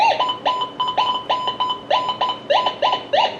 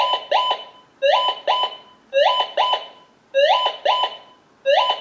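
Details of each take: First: Minelab Gold Monster 1000 metal detector tested indoors: about a dozen short rising chirps in under four seconds as the coil is swept over an aluminum pull tab; target tone for an aluminum pull tab. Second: Minelab GM 1000 (Gold Monster) metal detector, indoor table test with an unidentified sample: paired two-tone beeps about once a second, seven pairs; the detector's non-ferrous target signal.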